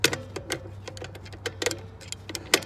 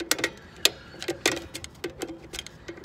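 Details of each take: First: Dexter 5200 lb trailer axle with 12-inch drum brakes, new brakes fitted: sharp, separate ratchet clicks at an uneven pace as the adjuster star wheel is turned to take up shoe slack; normal brake shoe adjustment, no fault. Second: Dexter 5200 lb trailer axle brake job: crisp, even ticks about every half second as the star-wheel adjuster is turned while the drum spins, until the shoes just touch; normal adjuster clicking. Readjust after the first 100 miles.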